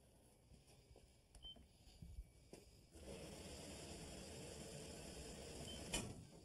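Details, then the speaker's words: Washer fill valve on a six-month-old washing machine: water rushes through the supply hoses, then a sharp bang rings through the house pipes as the fill cycle ends and the valve snaps shut; water hammer, absent with the old washer. "that wasn't too bad wait again oh boy that would keep you up I wouldn't it it will okay what that is is thing called water hammer"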